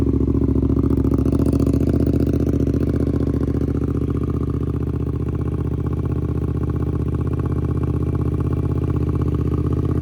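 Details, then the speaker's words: 2024 Suzuki GSX-8S with newly installed Delkevic 9" oval carbon full-system exhaust, fired up and given a couple of revs: loud deep even exhaust note with steady firing beat through short blips; healthy. "Sounds awesome. Really love that sound. Now it sounds like a nice, powerful motor with lots of noise behind it, which is good."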